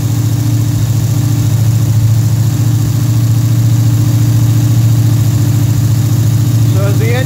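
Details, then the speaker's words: Pontiac engine with a Rochester Quadrajet carburetor, cold, on the fast-idle cam at around 1,400 rpm: a steady, even fast idle with a smooth deep throb and no misses. Idle speed drops as the engine warms and the choke opens. "as the engine warms up this thing's got it's got a fast idle cam in here and what'll happen that'll start dropping off and whenever it does then the idle speed will come down and right now it wants to be on the faster idle"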